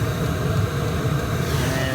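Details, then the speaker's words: Portable camping diesel heater about six minutes into a burn, past full warm-up: loud steady fan roar with low rumble and faint fast-ticking fuel pump, now ramping down toward the one-pulse-per-second set point; running normally. "oh you can hear that it's just starting to ramp down so it got past it's fully the full warm up and now it's uh coming back to my actual set point of one which is one pulse per second and that's the fuel pump so"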